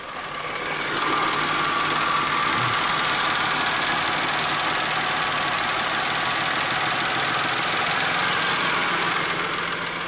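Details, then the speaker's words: 1994 Ford Probe V6 after opening the fully screwed-in throttle stop screw about three and a half turns to fix base idle: engine comes up from barely running and settles to a steady, even idle around 700 rpm with no hunting; normal idle. "oh it's getting happier now it's probably close maybe a little more"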